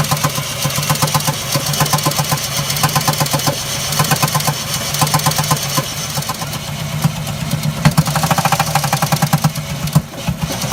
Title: Jeep Liberty Rod Knocking